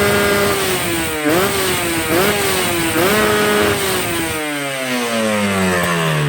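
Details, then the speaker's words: Two-stroke motorcycle, not yet warmed up: sharp, crisp throttle blips climbing and dropping cleanly without bogging; carb set lean at low revs and rich at the top, the correct efficient setting. "Nah, ini adalah settingan yang kering di bawah, tapi di atas basah. Nah, itu settingan yang bagus. Jadi efisiensinya tinggi ya."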